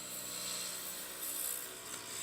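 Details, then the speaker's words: Turning a Slimline pen blank of circuit-board tube in epoxy on a lathe: once the blank is round, the crunchy sound stops and the gouge gives a steady, even hiss with solid ribbons and no chatter; smooth continuous cut. "So once I get that round, my ribbons will be solid and it won't make that noise. There we go. See, those ribbons are solid"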